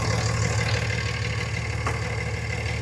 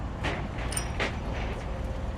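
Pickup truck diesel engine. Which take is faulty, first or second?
second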